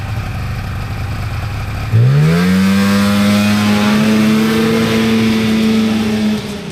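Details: 1997 Polaris Indy Trail Touring two-stroke snowmobile, resurrected with carbs cleaned and oil pump bled, stock clutching, test ridden on a lawn without snow: sharp rise to a high steady wail held cleanly several seconds, no misfire or stumble; normal running under load.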